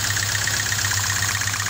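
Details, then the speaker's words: 2000 Hyundai Accent cylinder balance test at idle: with the cylinder 2 spark plug wire pulled, rpm does not drop and the idle has a slight uneven lope, so cylinder 2 is dead and not contributing. "as you can hear there's no drop in the engine's rpm so it is this cylinder that is not contributing"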